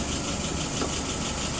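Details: Restored WO 636SA carburettor on a 48 test engine, fuel pressure 2.75, vacuum 23: vintage petrol engine ticking over smooth and even, no misses, stumbles or hunting.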